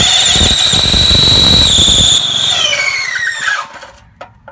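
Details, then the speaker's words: Briggs and Stratton 3 HP engine on an MTD edger: loud high squeal over cranking, sliding down in pitch as the engine stalls; starter clutch cap unsealed with dislodged ball bearings. "And as you could hear earlier, it was squealing really bad when I tried to start it, actually stalling the engine out."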